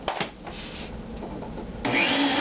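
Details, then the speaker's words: Shop-Vac at startup: a rushing vacuum roar that suddenly gets louder and harsher as the motor spins up. Owner says it doesn't usually make this sound and only does it when first turning on; cause unknown. "He doesn't usually make that sound, it just does it when it first like feels like it wants to turn on."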